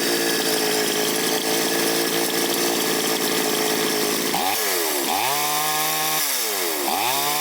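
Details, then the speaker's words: Chinese chainsaw, carburetor idle and L/H jets just adjusted, filter not yet fitted: crisp two-stroke revs snap through quick clean blips and return to steady idle; running healthy, may need slight retuning once the filter cuts revs. "Бенцепилка налаштована, але коли ми ще її зберемо до кінця, поставимо фільтр, її треба ще буде чуть-чуть підрегулювати, бо фільтр глуши оберти."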